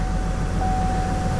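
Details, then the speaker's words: Vortec 4.2 L inline-6 first started after a tune-up with a new air cleaner; the owner suspects a wrong mass airflow sensor was sold. Rough, uneven idle set higher than before, with a thin steady whistle; a misfire was found on cylinder 2. "She seems a little rough at idle. We have a higher idle than before. She seems a little rough."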